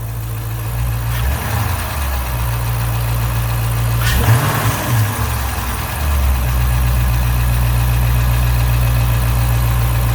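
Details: 2012 Dodge Charger 5.7 Hemi after misfire repair, just started: quick throttle blip, revs climb smoothly and settle back to a steady even rumble with no stumble; runs clean.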